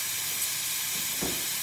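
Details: Breville Oracle 980XL espresso machine after replacing leaking boiler O-rings, tested for rattling and self-activating steam: strong, even, bright steam hiss at constant level, good water flow and pressure.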